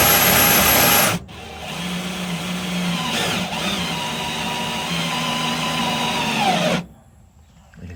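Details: Drill-driven trailer gearbox, a replacement unit, lifting an empty trailer in high gear: even drill whine for about five seconds, easing slightly in pitch as the lift loads up. The gearbox turns smoothly and quietly, normal operation under load.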